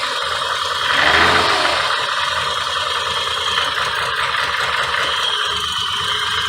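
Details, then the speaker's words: 1986 BMW 528e (E28), plugs just reinstalled and leak test shows no head gasket failure: rough, lumpy idle of about four pulses a second under a raspy rattle. It runs with the idle air control valve unplugged and stalls when it's plugged in; the valve is suspected bad. "see so I think the idle air control valve is bad on this thing"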